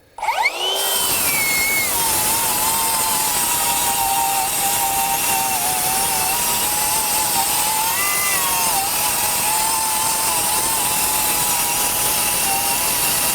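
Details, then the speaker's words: Metabo HPT MultiVolt C3607DWA 36V 7-1/4" rear-handle circular saw on AC adapter instead of battery, final cut: spins up fast to steady high whine, sags slightly while cutting then recovers; maybe slight power drop, normal under load. "all right let's do this last cut with the AC adapter typically we've seen a drop in power when using a cord on these tools let's just see how this"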